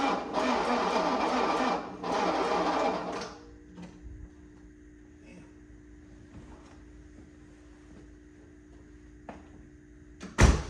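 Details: 1984 Mercedes-Benz 300SD diesel, no glow plug light: two sluggish dragging cranking bursts that never catch, then quiet hum; cranking far too slow, weak battery suspected, owner also worries about no compression.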